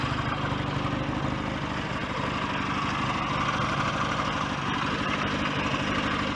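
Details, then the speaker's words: BSA A10 Super Rocket 650, warm after a test ride, carb needle cleaned and raised two grooves to cure choke-only running. Even, steady twin tick-over about three beats a second, slightly fast; the idle needs turning down. "might um turn the tick over down a little bit actually it's uh ticking over a little on the fast side"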